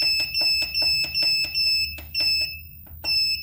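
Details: 1000W pure sine wave inverter with charger: sharp high beeps about once a second, a little uneven as buttons are pressed; buzzer confirming menu settings normally.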